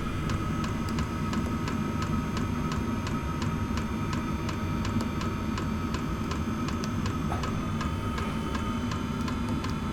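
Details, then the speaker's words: Inexpensive diesel air heater being set up to heat a small shed workshop; sharp, regular ticking two or three times a second over a steady fan hum, the dosing fuel pump clicking as it meters fuel; owner unsure whether normal. "so you can clearly hear that audible ticking if someone can put down in the comments and let me know I'd appreciate it"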